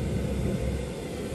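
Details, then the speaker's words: Propane ribbon burner forge with regulator turned down to reduce fuel: low breathy roar dipping and stumbling unevenly instead of holding steady; burner sputtering from low gas pressure. "See what happened? Listen, sputtering again."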